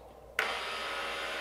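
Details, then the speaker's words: 1995 Porsche 993 Cabriolet top latch motor after drive gear replacement, tested in the car opening and closing the top: sharp start then even, steady whir; cams positioned correctly and micro switches working properly. "all right that sounds great that's a great time okay that means we got our cams in the right place it means that our little uh micro switches are working properly"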